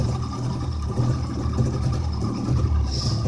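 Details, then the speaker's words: 1958 Saxomat 1000S two-stroke car, first start in decades after freeing seized pistons, hand-rebuilt fuel pump, running rich 16:1 oil mix: steady, even low burble with no knocks or misses at fast idle; normal running. "that's all she really needed to get running again was just work so let's running now"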